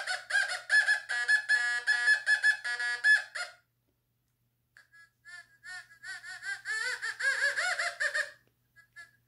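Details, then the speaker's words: Fisher F44 metal detector air test, all metal mode, volume 10, not ground balanced, Heineken beer cap from 10 inches closer: short squeaky beeps, slight sound starting around 9 inches, louder and higher nearer 7; normal target tone. "it starts making a slight sound around nine but you'd have to have earphones to hear that probably outside"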